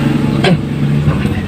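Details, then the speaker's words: Yamaha Mio Z 125 starter that won't start the bike, battery reportedly good: short, low whir that wobbles in pitch and quickly sags away instead of spinning up; weak starter motor, brushes or armature to be checked. "Nah, jadi ini menandakan dinamo starter ini sudah lemah ya. Dinamonya sudah lemah dan menandakan kalau dinamonya ini sudah melemah ya teman-teman."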